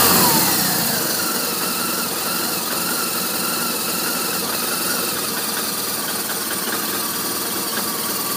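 Engine catches, then settles into an uneven, hunting idle with raspy top-end noise; a rough idle, cause not clear by ear.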